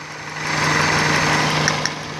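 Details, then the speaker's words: Toyota Corolla idling after fixing a misfire from a faulty, leaking ignition coil: steady, even idle hum with low constant drone and no stumble or skip; engine now running smoothly on all cylinders. "गाड़ी इस वक्त बिल्कुल ठीक है और car tips and solutions आपसे इजाज़त मांगता है।"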